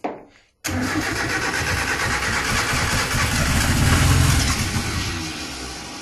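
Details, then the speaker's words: RWD turbo Nissan Micra (K10) first start: cranks, catches briefly on brake cleaner sprayed into intake and runs rough a few seconds, then fades because fuel pump wasn't running or delivering fuel; blocked tank filter sock later removed. "nearly fired you know right I need to get tripod or something hold your horses they got wasted my time I think I got a fuel pump running got pressure now"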